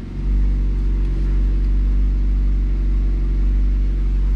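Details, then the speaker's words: Ford Focus petrol engine idling, heard inside the cabin after new motor mounts: steady even low hum, the earlier shaking vibration gone, smooth normal idle; a slight exhaust leak remains. "nice and smooth [Music] no vibration very nice"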